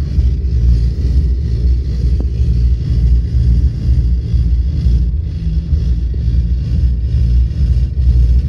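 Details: Volvo 8700 bus diesel with ZF Ecomat automatic that won't engage neutral while idling; deep uneven rumble loping and labouring near stalling as the gearbox fails to release.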